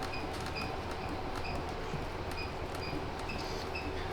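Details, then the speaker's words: C8 Corvette Z06 front end moving over bumps: short high chirps repeat about every half second over the rolling rumble; struts not leaking, front suspension squeak, cause under inspection before strut replacement. "They're not leaking, nothing crazy like that, but there is a squeak when going over bumps."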